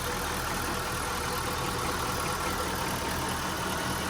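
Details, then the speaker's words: 2002 Mitsubishi Lancer, 246,999 miles, sat for years, on its first start: even, steady idle with no knocking and a faint belt hiss/grind over it; engine sounds healthy. "just listen to how smooth that sounds no weird noises she's got a little belt grind but for the most part it sounds healthy no knocking of any sorts"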